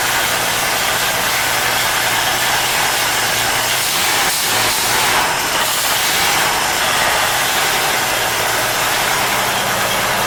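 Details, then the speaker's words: Ford 250ci inline six after new distributor, retiming (locked at 30 degrees) and cleaned accelerator pump check valves: steady even idle with one brief throttle blip, no misfires or knocks; runs better and more responsive down low. "Yeah, it just seems to be running loads better and way more responsive down low than it ever has."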